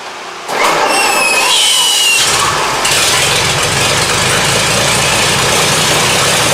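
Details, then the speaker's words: 1923 Seagrave 1000 cid six-cylinder fire-truck engine, firing order 1-4-2-6-3-5, sat outside for years after a fire, first start fed from a temporary tank with a Nissan coil, on choke: runs loud and ragged with uneven firing; fuel leak and timing off. "Pretty exciting, huh? Still got some problems. It's okay. We're going to work it out."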